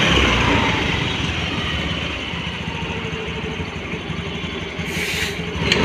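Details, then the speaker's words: Hero Maestro scooter after fitting a relay for a self-start problem: key on, meter readies without the earlier noise, engine catches and settles into a steady, even light idle without clatter; normal idle. "দেখুন আমি গাড়িটা start করছি, দেখুন গাড়ি করে start হয়ে গেল, চাকায় দেখুন গাড়ি করে স্টার্ট হয়ে গেছে।"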